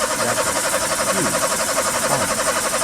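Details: Nissan AD with the same no-start fault returning after one month: rapid, steady cranking at about three pulses a second that never catches. Timing, wiring or a sensor is suspected and checked with a scanner; cause not confirmed.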